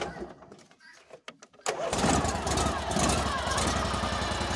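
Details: Cub Cadet 1440 with Briggs engine after new battery cable ends, fuse holder, key switch and hour meter: starter whirs briefly, engine catches and settles into a steady, even putter; starts cleanly.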